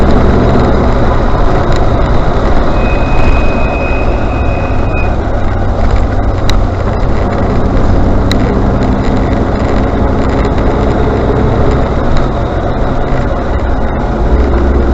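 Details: Range Rover Classic: a thin high brake squeal rings out for about two seconds over steady low vehicle rumble, then fades.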